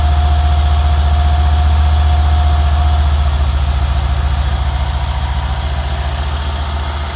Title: Mercedes CLS S CL SL E GL ML Class Engine Noise(Ticking Sound)